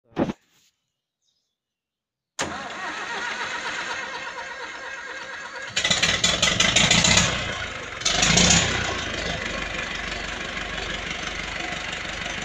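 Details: Ursus C360 tractor diesel, first start after partial rebuild with new repair kits and all bearings (one overheated after oil ran dry, knocking); short crank, catches at once, two quick revs, then steady even idle with no knocking.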